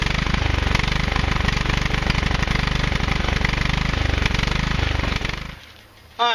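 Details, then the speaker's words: Husqvarna YTH 150 lawn tractor with a suspected clogged carburetor: on starter fluid the engine pops into a steady, rapid chug for about five seconds, then dies abruptly; runs only on starter fluid, suspected fuel starvation. "the key thing that you couldn't see on that little clip of video was that all of a sudden it started running right"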